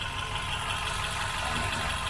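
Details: Hyundai i10 four-cylinder after a rough-idle fix: smooth, even idle hum with no stumbles or hunting; settles steadily and sounds healthy.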